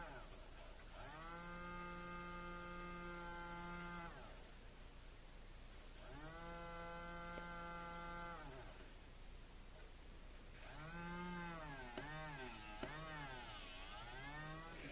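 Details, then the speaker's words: TrackMaster Salty motor, once seized (owner suspects disuse, moisture or a stuck shaft), freed and run on the battery pack while held back by hand: clean, steady high whir whose pitch dips and recovers. It runs free and strong. "I just was trying to kind of put a little bit of resistance on it to test its strength and it seems like it's it's doing pretty good now."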